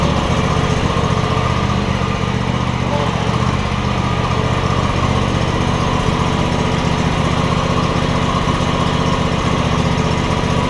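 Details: John Deere X300 mower after control module replacement for a no-spark problem; runs great. Loud, constant engine drone holding one speed, no surging or sputtering: normal running.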